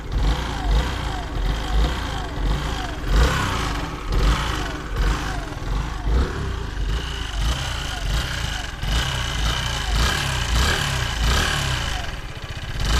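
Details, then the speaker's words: 2009 Yamaha X-Max scooter at idle: low, uneven rumble with a recurring rattly pulse roughly every second; the owner suspects an abnormal engine problem, cause unknown. "Alors bonjour à tous, je poste cette vidéo parce que je pense avoir un souci avec mon X-Max, avec ce bruit anormal."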